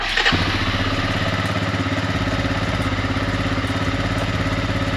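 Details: Suzuki Eiger QuadRunner four-wheeler, cold start after sitting about a month, started in neutral: quick crank, catches at once and settles into an even, steady putter with no misses or knocks; a healthy cold idle.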